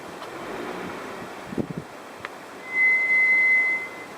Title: RAUB BRAKE NOISE